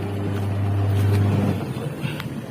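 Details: Polytron twin-tub washing machine after repairing the wash motor (dinamo) that would not turn the pulsator, tested via wash timer: smooth, even low motor hum with no knocks or grinding before winding down; normal wash motor run.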